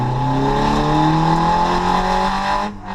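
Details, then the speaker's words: Drift car freshly dyno tuned to 140 kW: smooth clean climb in pitch right up to the rev limiter with no stumble, popping or misfire; healthy engine. "The car's finally tuned. It can rev out to bloody limiter, which is no drama."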